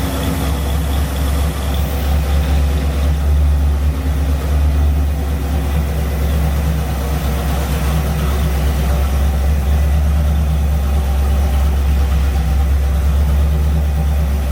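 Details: Rebuilt barn-find Mopar 340 V8 on engine dyno during second 10-minute cam break-in run after cooldown: deep steady even rumble, no rocker or lifter ticking or top-end clatter. Normal running.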